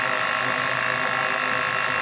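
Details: DJI Mavic Mini motor run with propellers removed, knock appearing after blade change: thin, even fast buzz with an irregular knock/runout hard to pick out; possibly worn bearings, owner unsure if motor itself is the problem.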